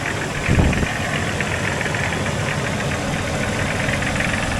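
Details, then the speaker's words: Light quick tapping over an uneven idle in a Jeep XJ just started after engine cleaning and aluminum valve cover install, with an air-sucking vacuum leak heard; owner guesses a broken piston, not confirmed. "I think that's a broken piston. Huh."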